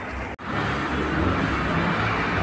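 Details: Fiat Palio after replacing the noisy accessory-belt pulley, fixing reservoir leak and gearbox seal, clutch plate, disc and bearing: steady even idle with a smooth hum, no belt squeal or chirp; belt noise cured, normal running.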